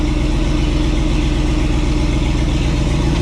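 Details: Project wagon just refitted with a modified stock metal fuel tank and an OEM Chevy Silverado fuel pump, started after charging a dead battery: steady, even idle with a smooth low rumble, no miss or stumble, no fuel leaks; engine sounds healthy.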